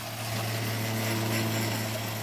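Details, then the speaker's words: 12-volt Shurflo pump on a solar outdoor shower priming the line, steady low motor hum with hissing and sputter as air pushes through; it has a pressure switch and shuts itself off at high pressure, normal. "priming the line there's high pressure in the wine and it turns itself off it's got a pressure switch in it"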